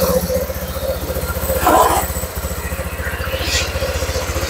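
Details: Honda Vario 150 scooter after engine rebuild for overheating, coolant loss, oil loss and rough running, first start with new coolant: even, quick putter at idle with no knocking or rattle; engine sounds healthy.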